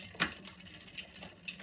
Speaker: and again and you can feel now it's jumping all over the place